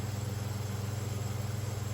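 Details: Oiled 1970s/80s Limit Ariel 12-inch oscillating desk fan, round-grille model, on high at about 84 W and around 1,416 ft/min; low hum with a fast even flutter of about 17 pulses a second from loose winding insulation catching the rotor.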